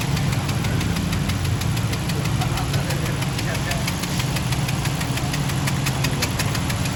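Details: Honda Civic engine at steady idle with sharp, regular ticking about five per second; clear engine knock, cause not pinned down.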